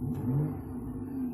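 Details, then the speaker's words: 2011 Ford Edge Limited, 3.5 Duratec V6 with 330,000 miles, after front-end engine rebuild, just after cold start: short throttle blip rises and settles smoothly with an even rumble, no knocks or rattles; normal rev. "there you go a little bit of a rev man lulu bell sounds great so holy cow that's man this engine sounds good"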